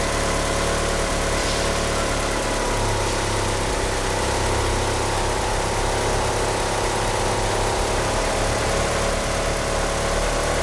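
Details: Car fitted with 850cc injectors, at idle: a lumpy idle wavering in pitch, with a faint steady squeal from the slipping power steering pump belt. The car won't rev up. Rough idle, oversized injectors upsetting the mixture.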